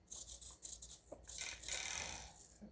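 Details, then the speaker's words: GL Racing GLD micro RC drift car steering servo (cheap servo, about 6 volts, gyro/receiver swap tried): faint, fast high-pitched buzzy chatter in short bursts with the car at rest; servo jitter, cause suspected faulty servo. "Okay, So I know they're running around 6 volts. You can hear the sound. It's kind of annoying."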